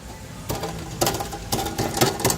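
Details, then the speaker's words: Car underside being knocked while checking for clicking over bumps and turning: sharp metallic clatters in uneven bursts about twice a second from an unsecured underbody part; loose underbody component rattle. "we're looking for squeaking we're looking for noise rattling noise oh guys y'all hear that"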